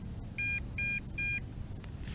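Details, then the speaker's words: MJX Bugs 3 Pro GPS drone transmitter, about 1 km out on failsafe return-to-home, gives three short, high, even beeps over a low rumble. This is the first-phase low-voltage warning, which triggers low-voltage return-to-home. "hear that beep oh no you know what that beep is that beep is the first phase of low voltage"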